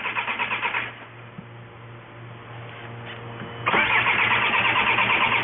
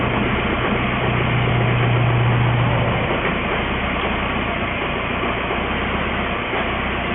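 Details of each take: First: 2004 VW Jetta wagon 1.9L TDI BEW diesel that quit while driving: starter cranks evenly about three times a second, pauses, cranks again, never catching; no-start from fuel starvation. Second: 2004 VW Jetta wagon, 1.9L TDI (BEW), which had run out of fuel, after priming the pump: fires and settles into a steady, even diesel clatter at idle with no misses. Normal start and idle.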